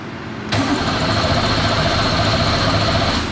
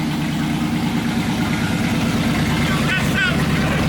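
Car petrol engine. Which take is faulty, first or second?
first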